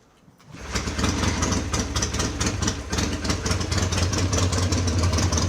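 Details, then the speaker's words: Classic twin-cylinder motorcycle, the owner's favourite, just given a fresh barrel and rebuild: starts on the first catch, more easily than the others, and settles to a very quiet, even idle with no knocks or rattles. Healthy start and idle. "so that was easier than the other ones very quiet yeah very quiet very quiet it's um in comparison to the others"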